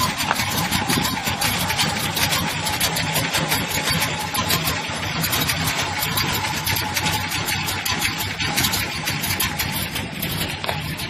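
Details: Square body: a lumpy, uneven idle with irregular pulses around two per second and no steady beat. The cause of the rough idle can't be told by ear.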